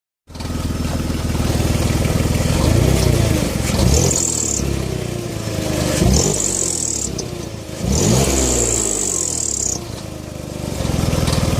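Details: BMW E46 with M54 engine: thin, high squeak appears each time revs rise and fades as they drop, caused by a leaking exhaust manifold gasket.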